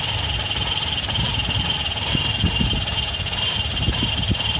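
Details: 2005 Subaru Outback XT 2.5 DOHC turbo boxer with rough idle after turbo replacement, also stalling and smoking; lumpy uneven idle with irregular low thumps under steady high hiss; owner suspects tumble valve problem, unconfirmed.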